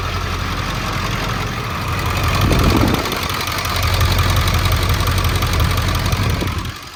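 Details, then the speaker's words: 2002 Ford F250 7.3 diesel running rough and smoking: rough, uneven clatter with a lopey miss, unchanged and smoke stopping with injector number 7 unplugged, confirming that injector was dead and causing the misfire. "And you might be saying, isn't it going to run like crap with that injector unplugged? It's actually running the same as it was before. The mist feels exactly the same."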